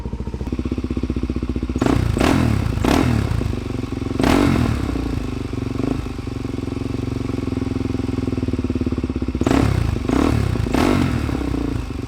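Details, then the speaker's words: 2009 Suzuki DRZ400SM single-cylinder supermoto with 37,000 miles, started on choke after a fix-up: even, rapid thumping idle with a few crisp throttle blips that settle straight back, no black smoke; the engine is sounding good. "I really thought a lot of black smoke would come out, but damn, she's sounding good."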